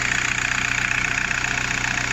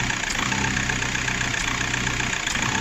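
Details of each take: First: VW Golf 4 diesel with a steady, even idle, a regular low pulse and no knocks, misses or shaking, after repair; a cut wire rubbing on metal had caused cutting out and vibration, with no solenoid valve replaced. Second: VW Golf 4 diesel at idle with a stumbling, uneven beat, uneven dips as the intake shutoff flap intermittently closes; injectors and filter were fine, and the flap's vacuum tube was found pulling.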